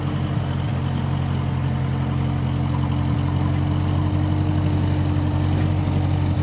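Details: 1955 Massey Ferguson MF65 tractor, in family 30+ years, restarted after sitting a couple years; carb cleaned, Marvel Schebler carb may need slight dialing in. Steady, even low thrum, no misses, knocks or hunting; normal running.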